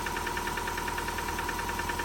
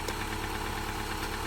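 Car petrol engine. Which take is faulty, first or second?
first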